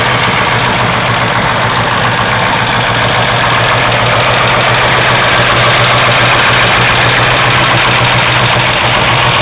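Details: 1970 Camaro 350 rebuilt toward LT1 spec, 10.25:1 forged pistons, LT1 aluminum intake and carburetor, freshly built, on run stand in subframe: smooth, even V8 idle with no knocks, ticks or misses, clean shutoff.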